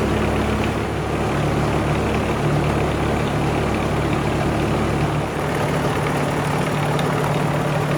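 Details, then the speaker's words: Unimog 421 diesel idling with centraliser PTO engaged: steady even drone, no vibration after fitting new output shaft to replace a bent one. "vibration's gone, so fitting that new output shaft has done the trick."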